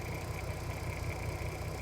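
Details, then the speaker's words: 2007 (57 plate) VW Golf R32, 3.2 V6, about 92k miles, idling near the end of a one-hour carbon clean: even, steady low rumble, no knocks, misses or hunting. Quieter and smoother than before, normal idle. "an hour later obviously on camera it sounds a little bit different I don't know if you guys can tell but it is sounding quieter lot smoother a lot more chilled out"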